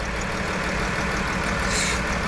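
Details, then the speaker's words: 2011 Chrysler Town & Country 3.6L V6 after overheating from a burst heater core hose; rough, shaking idle with stumbling beat and steam while refilling coolant, misfire worsening as coolant added; warped head, loss of compression, suspected head gasket coolant intrusion. "yeah that misfire is not going away though see it doing the shaky shake"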